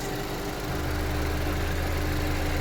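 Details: 2010 Chevy Equinox, about 112K miles, warmed up after Seafoam ring cleaning, possibly overfilled with oil: steady, even low idle with smooth hum, no uneven pulses, and blow-by gone; normal warm idle.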